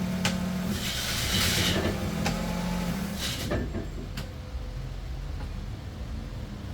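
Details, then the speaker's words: Kia Sorento 5-speed manual after clutch replacement, running on the lift with wheels spinning: gear changes go in cleanly with no grinding or crunching; normal shifting. "so it flawlessly runs through the gears no problem there at all"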